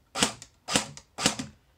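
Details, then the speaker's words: Cyma M14 airsoft gun, test shots after adjusting the motor height: three crisp, evenly spaced shots, each a sharp crack with a quick click; a normal, healthy gearbox cycle. "sounds pretty good to me"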